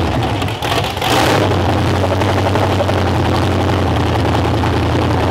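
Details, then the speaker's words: Demolition derby V8 on first start after draining watery oil, with a broken motor mount: loud, rough running with a steady tick; the tick quiets as revs rise, owner suspects the flex plate hitting. "definitely hear a tick, so we're going to let it run and lift it up on the hoist."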